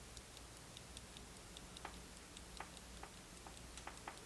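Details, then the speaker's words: Circa 1971 Soviet Tochmash Vesna mechanical mantle clock, non-running when bought, now ticking after oiling; faint, uneven ticking at about five beats a second held up to the microphone. Low balance amplitude; owner hopes the oil will work its way around. "to get to focus you see the escape wheel in there turning the amplitude is awful i'm gonna let it run like that and see if maybe the oil will find its way around"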